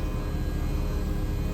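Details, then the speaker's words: 2000 Jeep Cherokee Classic 4x4 XJ idling for a while: original factory power window with one-touch auto gives a brief smooth, even, unlabored motor whir over the engine rumble; window works normally. "why I want to keep this one is it is the original factory one, and it has the auto feature, which is kind of cool. One-touch auto. I like that."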